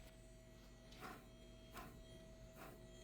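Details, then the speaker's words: 2011 Mazda 6 front wheel bearing, caliper and rotor removed, hub spun by hand: quiet, rough scraping swish returning about once a turn, uneven rotation; badly worn bearing needing replacement. "You remove the rotor. This guy is bad. Hear that?"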